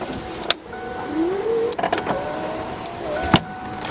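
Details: 1993 Ford Thunderbird SC Super Coupe, under 50,000 original miles: power window motor hums smoothly, pitch rising as glass travels, ending in a soft thunk; works normally, though one window gets slow going down.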